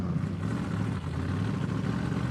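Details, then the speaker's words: Big-block 1980 Mirada Pro Street car while driving after warm-up: a deep, uneven V8 rumble that stumbles and dips, "runs pretty bad". Rough running; possibly really bad gas, cause unconfirmed. "that is not really good at it runs pretty bad yeah that needs some help"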